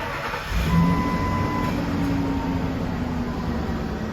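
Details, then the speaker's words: Ford 5.4 V8 at idle: engine cranks, catches, then settles into uneven, lumpy idle; power balance test shows dead miss on cylinder 4, persisting at 1800 rpm and worse under load. "And it's sitting there just a missing it idle. I can feel it. What's that say? Cylinder number 4. Dead miss on cylinder number 4 at idle."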